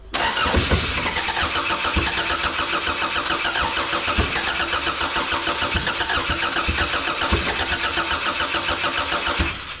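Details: Corona race car with newly swapped Toyota 3S engine: starter grinds it over steadily for ten seconds, never fires.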